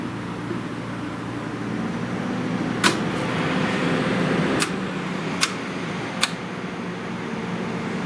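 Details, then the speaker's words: Sanyo PLC-XF60A large-venue LCD projector (same as Christie LX66A, EIKI LC-X6A) powering up: steady fan hum rises with a few sharp clicks from the per-lamp shutters, used for video mute; a healthy startup. "hear that yeah it's got shutters there are shutters um on each lamp so this has the ability to activate a video mute feature"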